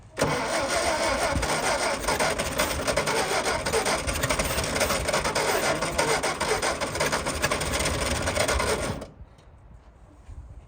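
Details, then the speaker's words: All-original 1959 VW Beetle with single carburetor: rapid uneven cranking with ragged chuffs, junk blowing out the exhaust, tries to fire but never catches; cranks but will not start. "I can't tell if it is or not it's shooting all kinds of junk all out the exhaust pipe"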